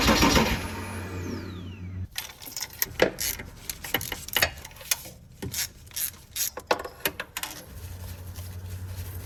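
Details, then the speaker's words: Porsche Boxster/Cayman 987 compression test: spark plugs out, fuel pump fuse pulled, battery fully charged, wide open throttle cranking. Steady, uniform starter beat with no dips, then handling clatter; cylinders all around 270 psi, good compression. "All right, so let's head in the car and crank it over and see what we get. Remember, wide open throttle for about 5 to 10 seconds."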